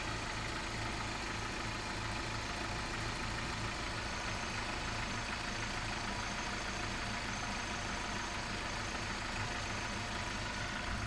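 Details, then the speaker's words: Volkswagen Vento 2.0 AGG petrol engine, 260,000 km, running on petrol then switching to propane LPG: normal steady idle at 800 rpm, smooth and even with no misses. "Обороты держит нормально, 800, как на бензине, так и на газе."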